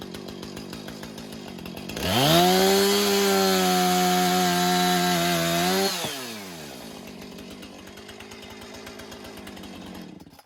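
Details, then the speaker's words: Husqvarna 455 Rancher chainsaw after routine maintenance, cutting 4x4s. It snaps up to a high, steady scream held evenly through the cut, then drops back to a clean idle; strong, healthy running under load. "Boy, I tell you what, that was like a hot knife through butter. Those 4x4s didn't stand a chance."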